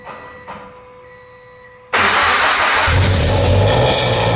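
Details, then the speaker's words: FR-S after Hurricane Harvey flooding, first cold start with new FR Sport overpipe and front pipe, Spec-D catback, equal-length headers and a mocked-up airbox, heard from behind the car: starter catches at about two seconds into a loud, slightly raspy, steady idle; healthy. "So yep, so we're gonna go ahead and I'm gonna throw you guys behind the car and we will do the first cold start of the new exhaust."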